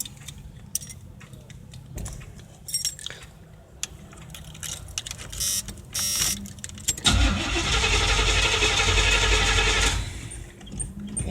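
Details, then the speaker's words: 1984 Chevy Monte Carlo that arrived not running: the starter cranks strongly at about four beats a second but the engine never fires. It fires right up once fuel is poured into the carburetor bowl; crank, no start. "go nice down to the cranking no fires go up get me right on edge he's not firing"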